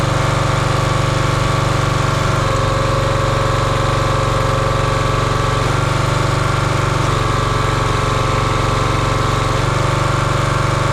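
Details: Champion 27-ton log splitter's 224cc single-cylinder engine, stored outside over a year, running after the hydraulic fluid leak fitting was tightened. Steady, even thrum at constant speed with no misses, knocks or hunting. Healthy running.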